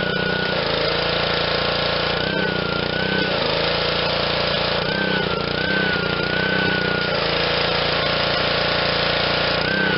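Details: Honda GCV160 on Black Max 2600 psi pressure washer, after carb cleaning and fresh fuel, true cold start: steady, even single-cylinder run without stumbling or surging, with background music; running like new.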